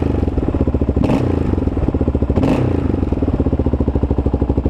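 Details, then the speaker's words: Kawasaki KLR650 single after full carburettor mods, warmed up: steady idle, then two quick blips rise and fall cleanly with no lean bog or stumble; engine much quieter, with less chain thrash after the doohickey change; normal throttle response. "sounds sounds good one of the huge things that i noticed when i right when i cranked it um while it's cold is just the the huge difference huge difference in the quietness of the motor now it's so much quieter now"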